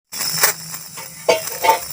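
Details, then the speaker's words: Small motor on 5 V supply makes a very loud, harsh, high-pitched rasping whir with rough surges; worn, dry rotor shaft causing grinding. "देने के बाद ये motor बहुत तेज आवाज कर रहा है।"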